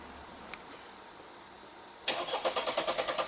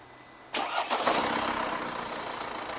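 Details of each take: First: Mercedes-Benz E220 that suddenly would not start, with no 5V sensor supply at key-on, cranked after unplugging the boost pressure sensor connector; about six seconds of steady starter cranking that never fires; cranks but no start. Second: Mercedes-Benz E220 after unplugging the oxygen sensor connector whose wiring was pinched by the cover during an oil change, shorting the 5V ECU sensor supply; short crank, engine catches and settles into steady even idle; normal start after fix.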